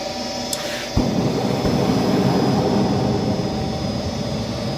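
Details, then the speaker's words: Goodman furnace after heat exchanger replacement and cleaned trap: soft click then steady even whoosh as the burners light and settle into a smooth roar with no rumble; clean ignition. "apart and cleaned the trap, put everything back together. Let's see if she lights."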